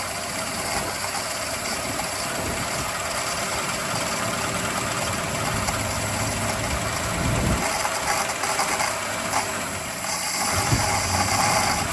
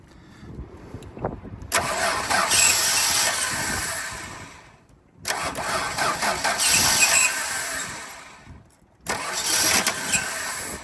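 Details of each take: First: Free donor ute with Chrysler 215 Hemi six, after adding fuel: steady, fairly quiet idle with even low beat, no knocking or misfire; engine runs well. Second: Chrysler 215 Hemi ute with 3-on-the-tree, first start attempts: engine catches and runs rough only while the starter turns, then dies each time the key is released; ballast resistor suspected dead.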